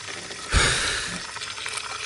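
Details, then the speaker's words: Dodge Nitro with misfire and low compression on cylinder 4, leakdown test on cylinder 2: hissing fizz and crackling bubbles as air escapes past the intake valve through sprayed brake cleaner, intake valves leaking. "how much bubbles it's coming out of the uh intake side so they kind of got me worried because my number four but it Stills okay"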